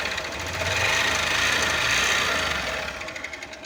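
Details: Honda Fan 125 motorcycle, revving and back: fast, fairly even tapping about three a second; knock suspected from connecting rod or piston, unconfirmed.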